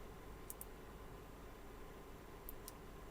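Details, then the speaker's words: Digital Designs M5 class D car amplifier powered up on a weak supply: a few crisp relay clicks then a soft thump, subwoofer humming slightly; normal power-on clicks. "Bon, OK, on entendu les claquements et j'entends un peu le sub ronré légèrement."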